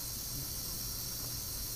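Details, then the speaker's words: Foxboro DP pneumatic transmitter during zero calibration, test pressure bled off via three-valve manifold, output about 2.2 psi: steady even air hiss, less than before as relay counterbalances less force; normal relay bleed. "you can audibly tell that there's a pressure change this isn't hissing quite as much as it was before it's not having to counter balance as much force"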